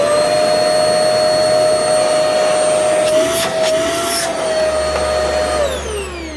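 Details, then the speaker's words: Vacuum with LED headlights, run without its filters (one missing from under the unit): clean, steady high hum holding pitch, winding down smoothly at switch-off with no grinding or rattle; motor sounds healthy. "Well, so this thing actually sounds okay."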